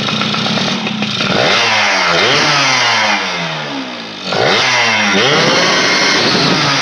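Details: Yamaha F1ZR two-stroke that would not rev out, from weak ignition, tested after swapping the CDI: crisp blips climbing cleanly to full revs and falling back with no stutter; normal full revving.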